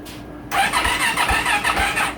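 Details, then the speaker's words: 2024 Yamaha YZ450F that won't start and blinks a fault-code light: the starter whirs but compression strokes come slowly, about two a second, dragging without catching. The battery read 10.5 V on the charger, which suggested it may be done. Slow cranking from a weak battery. "oh well she's cranking slow let me go ahead and put on the battery charger real quick"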